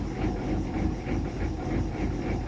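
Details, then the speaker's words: Chevy G20 diesel van, cold, idling with no throttle while the batteries recharge after the glow plugs: the clatter swells and sags in a slight lope that stops with throttle and goes away once warm. "kind of loping a little i have no foot on the accelerator right now you hear that lope it definitely goes away once the engine is warmed up"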